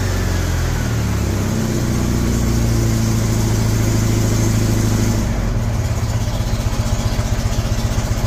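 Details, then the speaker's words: 1975 MGB running off a five-gallon gas can: revs then settles into lumpy, uneven idle, stumbling about four beats a second; owner suspects wrong firing order or cap on backwards; misfire. "although I do not think the firing orders may be necessarily correct at the moment maybe I put the cap on backwards"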